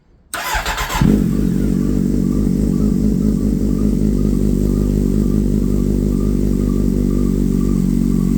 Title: Z750 Cold Start no DB-killer (chirping noise on cold start)